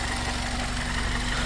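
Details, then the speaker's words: 2001 Toyota Corolla 1.8, scanner graphing all four cylinders: steady even low idle, smooth unbroken pulse, no skips or stumbles; no problems, running clean. "tengo seleccionados los cuatro cilindros no hay ningún problema hasta ahorita verdad Ahí está se una belleza el motor"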